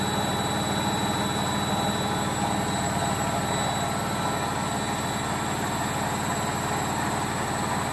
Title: Logik L712WM13 Cottons Intensive 40 Final Spin With Bad Bearings